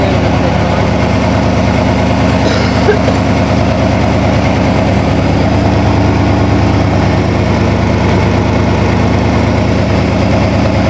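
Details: 1987 Toyota Supra MKIII with swapped 350 Chevrolet Vortec V8 and 700R4, restarted after rebuild with distributor cap corrected 180° and valve lash reset, open unwelded exhaust: loud, even rumble, regular pulse, no tapping or misfire; normal running.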